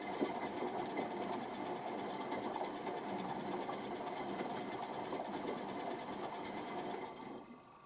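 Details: Electra ELEC1647A3 washing machine motor, ten wash cycles after new carbon brushes: uneven, rough whirring buzz for several seconds then fades and cuts out; damaged commutator, motor needs replacing.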